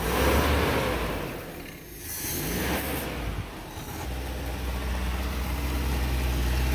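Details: 1987 Toyota 2WD pickup (Hilux) with 22R engine: unstable idle that surges and sags, revs dipping as if about to die until throttle catches it; won't idle on its own, stalls without throttle; checking for vacuum leaks, carb, cap and rotor.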